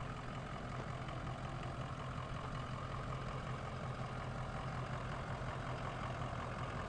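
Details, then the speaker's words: Ford Econoline E350 6.0 Power Stroke diesel cargo van on cold start, heard from a distance: steady low idle rumble, no knock or stumble; check engine light for cylinder 5 misfire, hesitation and power loss above 40 mph, but idle sounds fine. "even on cold start it sounds good takes off nicely"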